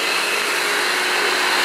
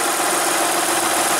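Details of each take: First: Engine with a recurring slow oil leak, owner suspects cold weather: loud, constant hissing whine with a faint steady high tone from the engine bay, source not found. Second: Van, cold day around 56–59°F, restarted to check an earlier noise: even, steady idle with no whir or rattle; engine sounds normal and the earlier noise is gone. Owner suspects a bearing froze up in the cold.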